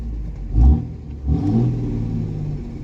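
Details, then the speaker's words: 5.9 Cummins diesel with 50 hp injectors on an Edge CTS2 custom tune: rumble surges twice as cruise control enables high idle, then holds a steady raised idle, adjustable up to 1500 rpm with resume; high idle working normally. "so this is the feature I was talking about you hit cruise control see how the RPMs come up if you hit resume you can up them all the way to 1500"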